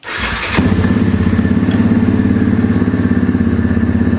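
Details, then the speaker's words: 2009 Yamaha Grizzly 700 ATV, under 6,000 km, bought as a parts bike, first start after fitting a new battery, in neutral: starter whirr, then it fires right up into a steady thumping idle around 200 beats a minute. "She fires right up."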